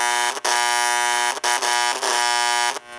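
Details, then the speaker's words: 326 Hudson toy train locomotive air chime horn speaker with old capacitor installed, horn not activated: harsh steady electrical buzz at fixed pitch, briefly cutting out; speaker buzz from faulty capacitor, greatly reduced after replacement. "so this is the sound with the old capacitor stuffed in and that's not the horn is not activated right now but you can hear all that buzzing coming"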